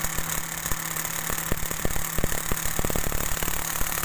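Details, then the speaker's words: Mitsubishi Mirage at idle with the AC on: irregular dry, rough crackling from the AC compressor that stops when the AC is off; teardown found the compressor oil dry, with no lubrication on the plate, fixed by cleaning and adding oil. "Jadi bunyinya kurang lebihnya seperti itu. Jadi ada bunyi kretek-kretek kasar ketika kita matikan AC, bunyinya hilang."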